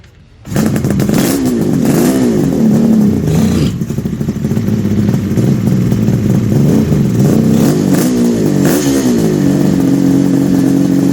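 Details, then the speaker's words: 1974 Kawasaki H2 750 two-stroke triple after 34 years, oil put in the chambers: catches weak and stumbles with irregular blips, then steadies as vacuum draws fuel; rough running just after starting, cause was lack of fuel. "Just to, see, when it started, it was a little weak, Yeah. and then the vacuum sucked the fuel and it just ran."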